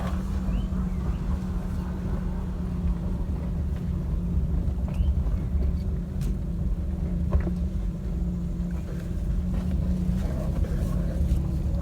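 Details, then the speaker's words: Maruti Suzuki Alto driving on a rough dirt road after suspension repair: steady low drone, no suspension noise, only one squeak and faint rattles from the door panels. "तो देख सकते हैं गाड़ी में कोई भी आवाज नहीं है सिर्फ एक किचन आवाज कर रहा है और छोटे मोटे जो इसके डोर पैनल्स होते हैं उसमें से सिर्फ थोड़ी थोड़ी आवाज आ रही है बाकी सस्पेंशन वाइज कुछ भी इसमें नॉइस नहीं है"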